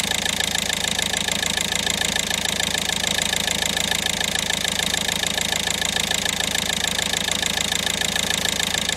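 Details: Toyota Corolla E120 D4D diesel after fuel temperature sensor replacement for hard start and code P1803: even diesel clatter at steady idle, evenly spaced ticks, no misses or stumbles; runs smoothly.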